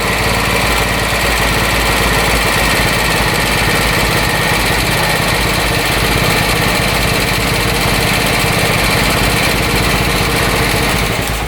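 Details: Harley Sprint 350 single-cylinder motorcycle from the 1970s with dual pipes, first run in about 18 years after police seizure and auction; hard to start, possibly from a plugged exhaust. Loud, steady bark with a fast, even firing beat, no knocks or rattles; normal running and revving.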